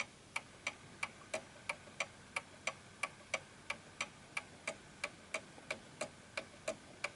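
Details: 1920s 8-day Napoleon hat antique mantel clock, recalibrated with a slight nudge after being moved and going out of beat: crisp, evenly spaced ticks at about ninety a minute, steady tick-tock balance in a quiet room; back in beat.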